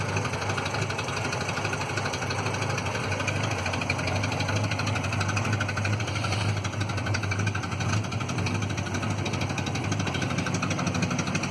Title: Citroen Visa 11 RE with an exhaust leak